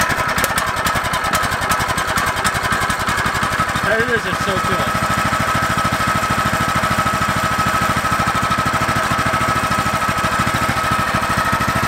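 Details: Newly unboxed Predator 212 engine with Hemi head, fresh oil, at its first start: quick, even single-cylinder popping at a steady idle with no knock or miss, a healthy small engine running freely.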